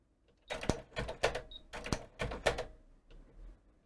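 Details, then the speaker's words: Panasonic RX-DS303 portable stereo CD system, cassette deck: on play the transport starts then stops, with uneven clicks and clunks about once a second; owner suspects tape-movement sensing, later traced to a broken cog wheel and intermittent deck switches. "so yes it's starting and then stopping that's the problem"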